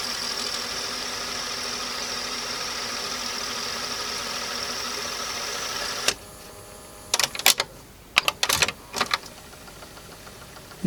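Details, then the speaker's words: Sony TC-W290 dual cassette deck, soft-touch plastic mechanism with DC servo motor, after repair: an even whirring spin for about six seconds, then stops with mechanical clicks and clunks; transport sounds healthy. "that one seems to be playing now okay so i think this thing's fixed"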